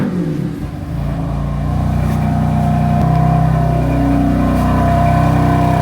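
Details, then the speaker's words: BMW F80 M3 cold start after sitting about 2 hours, following replacement of exhaust flap actuators: fires, revs briefly, then settles into a deep, steady exhaust drone with no rattle; clean, healthy cold start. "I'm trying to do a cold start. Well, it is a cold start because the car's been off for a couple hours already, 2 hours."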